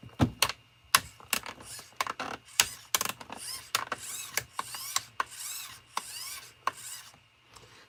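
Bursts of sharp ratcheting clicks each time the steering moves, with quiet between; the servo saver is slipping instead of holding.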